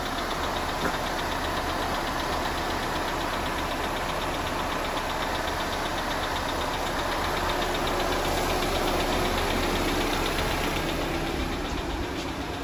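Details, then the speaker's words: Audi Q5 2.0T TFSI replacement engine, cold start after the old engine destroyed itself: rapid, even ticking clatter of about four taps a second over idle, audible outside the garage and called abnormal; likely dry hydraulic lifters pumping up. "But anyway, you heard how the noise of the engine was clattering pretty bad? It was like you could hear it even whenever I stepped outside the garage. Well, that's absolutely abnormal."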